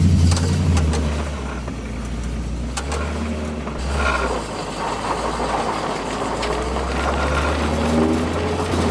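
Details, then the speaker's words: 1979 Chevy Camaro Z28 with a temporary 305 small-block V8 swapped in, first drive after the oil pan was refitted: deep, even rumble following the throttle, no knocking. Temperature about 200, oil pressure about 26; less kick than the 400. "Oh it definitely doesn't have the kick of the 400 but it is still fun"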